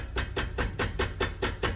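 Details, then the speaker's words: Nissan Sentra, 180,000 km, rear brake caliper: sharp evenly spaced metallic knocks about five a second, no engine running, caliper moving on its bracket; guide pins worn loose, mimics suspension noise on rough roads. "tá escutando esse barulho galera é a pinça em cima do cavalete aqui se mexendo esses parafusos guias aqui estão com folga"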